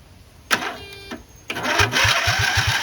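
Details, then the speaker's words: Racing lawn mower after swap to 20 hp OHV V-twin: starter chugs about four beats a second, engine cranks but won't start though fuel reaches carb, not on choke; owner suspects clogged carb. "Try to put some gas directly into here and see what it does. Sounds like the carb is probably just clogged."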